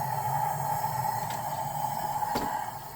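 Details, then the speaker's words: High-mileage BMW E36 M3, S52 engine, leakdown test on cylinder 4, engine not running: steady whistle over soft rushing hiss of escaping air, like a current; suspected head gasket failure or warped head, not confirmed. "Ha! You hear that? That's like a current. Oh yeah, look at this. Well guys, we found our issue. I'm gonna call that a warped head probably."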